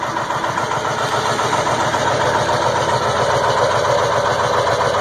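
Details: 2002 Ford F350 7.3 Powerstroke at about 34°F, just started after about 8.5 minutes of cranking: loud, slightly uneven clatter at a steady pace with white smoke; rough, unsettled cold idle, cause unknown.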